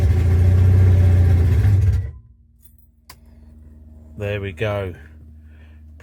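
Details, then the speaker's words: Rover P6 being recommissioned, open exhaust not yet connected, fuel pump rebuilt: the loud engine bursts into life for about two seconds on starting spray, then dies. It won't keep running, so there is still a fuel delivery fault. "Just need to get the uh fuel delivery uh issue started sorted out and get the exhaust connected up."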